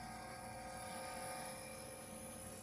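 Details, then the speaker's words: Red Bull display refrigerator that would not start, with the thermostat bypassed by a jumper: compressor and fans running, quiet even hum with a steady high whir and no rattles; fan spinning smoothly. "y ahí está trabajando y el compresor y está trabajando también lo que viene siendo los abanicos este abanico está trabajando"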